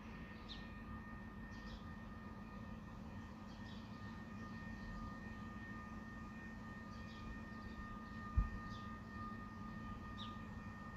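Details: Faint steady low hum with a thin high tone, constant, recorded from within the recorder's property boundary; persistent industrial buzzing/humming noise nuisance attributed to a nearby factory, often 2am–5am at night, loud enough to wake.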